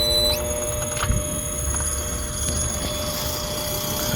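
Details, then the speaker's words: DIY 3-phase VFD-powered two-stage heat pump built in a Carrier cabinet, controller on 24 V: steady high electrical hum with fixed whining tones as current flows; working correctly but noisy, possibly something loose, and DC bus voltage drops at startup. "now you hear the hums together at the same time but ship a little bit this it's loose but it must be as soon as current is flowing and you're and um it's actually technically doing what I'm supposed to be doing it's just noisy"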